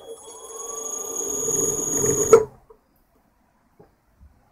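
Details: Three-phase motor on a drive at no load, starting at low frequency: thin whine climbing as it spins up over rough buzz and bumpy start, then over-current cut-off; leads mislabeled and miswired.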